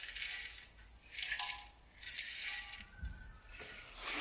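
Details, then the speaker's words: Toyota Yaris removed rear silencer (back box), internals broken apart: bursts of tinny metallic rattling as loose pieces shake inside; back box needs replacing along with centre pipe and centre box. "That rattling is the inside of the back silencer that's fallen apart, and you can hear it rattling around."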